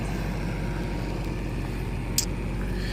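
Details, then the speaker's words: Chevy Caprice engine idling after repairs that cured backfiring and an exhaust leak. A low, even rumble with no popping, ticking or exhaust puffing. Normal smooth idle; the transmission still needs work. "Can't even hear it running no more. Look at that. Not at front anyway. You don't hear the engine like that. No more backfiring. No more exhaust leak."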